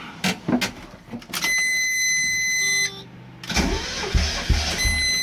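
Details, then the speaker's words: Mazda Miata 1.6 after hydraulic lifter cleaning and timing belt reinstall, with cam gears held by zip ties: starter cranks in uneven bursts with a steady electronic tone between, engine never catches; cam timing slipped out, whole engine needed retiming. "Nope, timing's out. Damn. So don't do that. That does not work."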